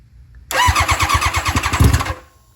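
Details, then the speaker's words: Barn-find championship-winning nitrous Hayabusa revived after sitting: starter turns the engine over in slow, labored pulses, about eight per second, dragging rather than spinning freely and not yet firing; battery sounds weak. "It's just taking her a minute to dig out of the grave. [Music] Our batteries sound like it's getting weak."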